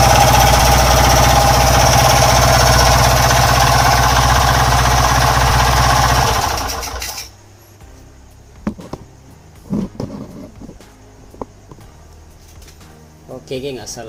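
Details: Honda Wave 110 single-cylinder motorcycle engine: loud, harsh mechanical rattle at idle, fast steady knocking about four per second, then shutdown; several worn parts, engine knock from worn piston and connecting rod needing overhaul.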